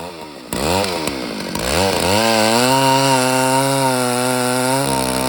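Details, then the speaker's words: Rebuilt Stihl 064AV chainsaw still being run in, carburetor leaned slightly, cutting a large fallen birch. It revs up and holds a steady high pitch in the cut with a slightly soft, burbly note; it runs stronger but is still rich. "In this clip, you can hear I've leaned out the saw a little bit, so it's runs a bit stronger, but it's not there yet. It's still being broken in, so it's still rich."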